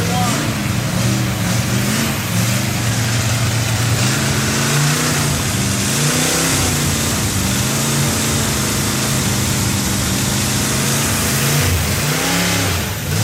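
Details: Freshly built Chevy 283 V8 first fire-up, unplugged vacuum port: engine speed wanders with an uneven, lumpy note under revving; rough running from big vacuum leak, better with a hand over the carburetor.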